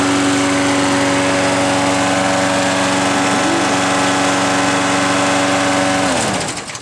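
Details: Neighbor's Briggs & Stratton edger engine, which wouldn't run, after carburetor rebuild: small engine runs at a steady high buzz with an even beat, no stumbling or misfire, then shuts off cleanly; normal running.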